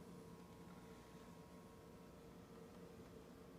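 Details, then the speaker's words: Convection fan of the lower oven of a double oven, just started at 350 °F bake: barely audible, very quiet smooth steady hum with no rattles or scraping; normal, unlike the noisy upper oven fan. "you you can barely hear the fan maybe a little hum that's it"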